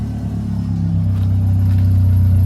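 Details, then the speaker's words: Honda Civic D16 four-cylinder just rebuilt after stuck pins, first start: deep, steady low rumble with no knocks or tapping, a little smoky at first; normal healthy idle. "so here we are we're going to start it up really quickly as y'all can hear This Is Us starting it up"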